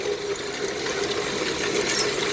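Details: Auger motor on a lead-melting ingot caster, function-tested after reassembly: a steady, even motor hum at a constant mid pitch with no scraping, screeching or grinding. The auger drive runs healthy.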